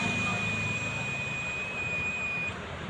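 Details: Analog multimeter continuity check, probes touched together before testing a 12 V UPS battery: steady high beep for about two and a half seconds, then a clean stop. The meter works normally.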